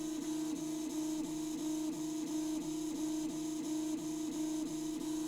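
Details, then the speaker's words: Original Prusa i3 Mk2 3D printer after replacing stock linear bearings with Drylin bearings: soft steady stepper hum with gentle rhythmic dips as axes move, no rattle or grinding; quiet, worthwhile upgrade. "no, that definitely sounds nice and quiet, so I think this was a worthwhile upgrade."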